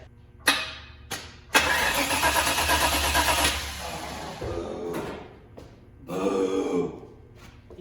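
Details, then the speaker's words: 1972 Chevy Suburban, brand-new crate motor and transmission, first start attempt with dual-pumper carb; starter groans through sluggish uneven crank about two seconds, no catch, weak battery blamed: slow cranking. "Fucking garbage piece of fucking shit battery. Wah, wah, wah. We gotta charge the battery."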